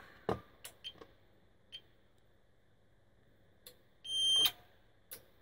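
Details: APC Smart-UPS 750 after new Yuasa NP7-12 12V 7Ah batteries fitted, running before mains reconnected: clicks then a single half-second high beep; on-battery operation as expected.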